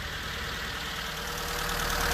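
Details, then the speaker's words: Figaro 989cc turbocharged gas engine at idle: fast even diesel-like ticking clatter; suspected loose valve lash, valve cover to be pulled for adjustment. "kind of sounds like a diesel that bothers me so I'm going to pull the valve cover off today and I checked for valve lash and see if they can quiet that down a little bit"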